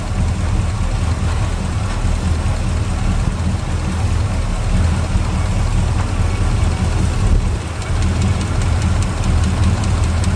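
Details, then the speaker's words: Small-block Chevy V8 with hydraulic lifters, idling with a deep steady rumble and a light quick ticking chatter as a rocker arm is deliberately loosened to excess valve lash before being tightened until it stops; valve train chatter. "Now you hear that chatter. We're going to tighten it till it stops."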